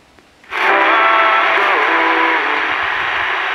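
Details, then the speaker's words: Zenith Royal 51 AM/FM transistor radio during repair, after a GT313 transistor was swapped in as the loudest option: a station comes through but with loud hiss and static over everything; noisy reception but working. "a lot of background noise but it's working"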